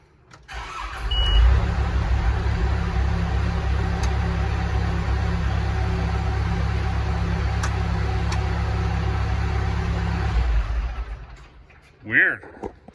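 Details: Telehandler diesel with returning fuel issues after it died, in snowy cold: deep steady cranking about nine seconds with no firing; crank no start, fuel supply problem suspected, not confirmed.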